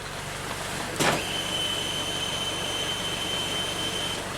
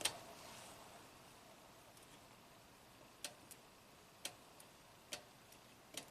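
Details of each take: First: 2015 Toyota Camry, U760E transmission, 125k miles, code P2714 shift solenoid performance, after fluid change, commanding solenoids via scan tool: sharp click then thin high-pitched hum about three seconds as the SL solenoid switches; whether normal is unclear. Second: 2015 Toyota Camry, 125k miles, U760E transmission with P2714 shift solenoid performance code and shift/shudder complaints; bypass check at external harness gives crisp single identical clicks, solenoid switching normally, resistance 6.3 ohms; P2714 remains pending.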